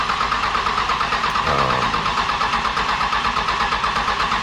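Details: Second-gen Cummins diesel after engine swap, first start attempt: rhythmic starter cranking about three compression pulses a second that never catches; air in fuel system, priming via filter pre-fill and primer button until fuel reaches overflow.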